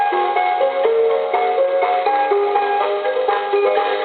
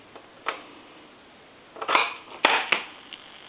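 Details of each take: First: Coca-Cola animated polar bear telephone, initial checkout before repair: clear electronic melody ringing note by note, then a brighter sustained chime; the ringer sounds strong and plays properly, though the phone has no dial tone. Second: Coca-Cola animated polar bear telephone, earpiece on lifting the receiver: irregular pulsating buzzy electrical noise instead of dial tone, no dialing or transmit; faulty line circuit.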